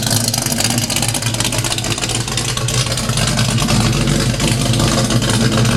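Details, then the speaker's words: 1970 Pontiac LeMans 455 V8 with violator pipes, just started after fresh Schaeffer's 20W50 and Type F fluid in the Turbo 350, not yet at temperature. Deep, steady idle burble with slight cam lope and no ticks or knocks; normal. "yeah that sounds good to me no leaks pipes violator pipes sound good motor sounds good"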